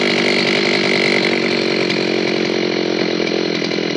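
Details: An old Zenoah chainsaw, repaired after it would not start from sitting unused, keeps a strong, steady high buzz at even revs under load with no surging or bogging: it pulls cleanly after the fix.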